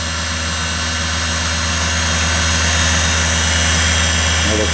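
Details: Deckel "SO" single lip cutter grinder, motor on 460 V through one contactor with toggle start/stop: steady, even electric hum and smooth drone, no knocks, rubs or bearing growl; motor sounds pretty good. Normal run.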